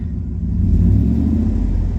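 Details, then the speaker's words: Dodge Ram 1500 HEMI V8 idling after replacing cylinder 8 coil and spark plug for P0308 misfire: low smooth rumble rising slightly and holding steady, no skipping beat; cylinders firing evenly. "Yeah, I think I fixed the problem. Sounds good, actually."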